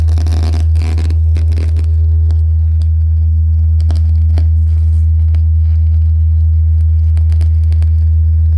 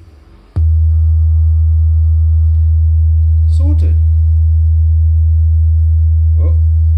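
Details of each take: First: JBL Charge 2 Plus speaker, opened for testing: a deep steady test tone with irregular crackles and sharp ticks from the first driver, its lead wire tapping the diaphragm on large excursions; speaker driver crackling from lead wire touching diaphragm. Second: JBL Charge 2 Plus portable speaker after reassembly, driver had been tapping against back of diaphragm at large excursions: clean, steady low test tone without buzz or rattle, apart from handling bumps; normal speaker output.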